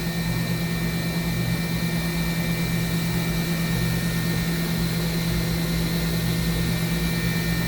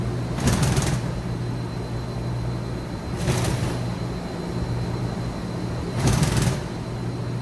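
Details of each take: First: 2013 Mazak HCN 4000 Mark III horizontal machining center spindle at 10,000 rpm, 1% load (max 14,000 rpm): smooth steady hum with constant tone, no grinding or rumble; spindle sounds healthy. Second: 2013 Mazak HCN 4000 Mark III horizontal machining center, Y-axis 23-inch full stroke at 100% rapids: hum of rapid moves with a short rattling burst each travel, about every three seconds; light way cover chatter, ball screw fine.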